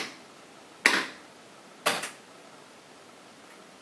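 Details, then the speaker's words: Williams System 6 pinball in manual solenoid test mode, one solenoid pulsed per advance press: two sharp single clunks about a second apart, each a clean snap; solenoid firing normally. "now if you put it back into the manual position and hit the advanced button you see it stays on a single solenoid that lets you keep pulsing or testing a single solenoid every time you hit advance it goes to another one"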